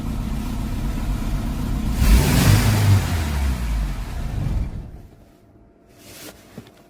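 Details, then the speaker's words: Ford Sierra with a swapped Pinto engine, new cam belt riding on its edge and a leak: revving gives a rough, sagging pull, with no response between 2,000 and 3,000 rpm; owner suspects the carburetor. "And then when I pushed the gas pedal down, uh the RPMs were not the car was not responding to RPN RPMs between two and 3ks."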